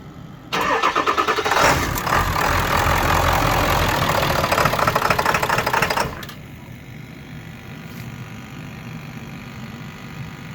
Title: 7.3 intermittent rough idle, sometimes stall.